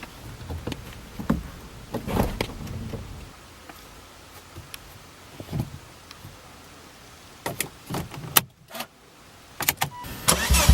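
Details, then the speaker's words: Volvo S40 T5 2.5 L turbo inline-five, cold start after sitting about a month: loud, raspy, pulsing idle from an exhaust leak where the flex pipe, bolted to the turbo, has split open on the outside. "The exhaust leak is coming from the flex pipe. Flex pipe bolts onto the turbo, so that's somewhere in between here."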